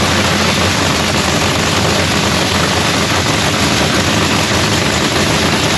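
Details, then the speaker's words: Supercharged Lexus drag car firing up for its first time of the season after a new fuel pump (the old one primed only 23 psi instead of 72), inside the paint booth; a loud, steady, even roar with no misses, pops or knocks. "y'all got to hear the car fire up for the first time of the season it sounds beautiful"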